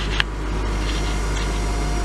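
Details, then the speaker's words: 2002 Honda Civic LX sedan, 187,000 miles, cold start in December after about a month unused with a dead battery, jump-started: low rumble at idle with a thin constant whine, attributed to the transmission. "Hear that whining noise? That would be the transmission."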